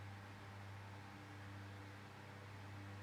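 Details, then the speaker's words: Tesco DF96 9-inch desk fan running on low speed: steady low motor hum with rushing air and a faint buzz; owner suspects the motor is a bit worn from years in storage, otherwise runs quite well. "I think the motor is I think the motor's a bit worn out of it being stored away after goodness knows how many years. Apart from that noise, still runs quite well."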